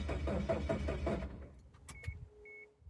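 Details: Chevy Tracker after replacing the fuel pump connector: key turned, starter churns rapidly about a second, engine never catches, no pump hum heard; crank no start, fuel pump still not getting power.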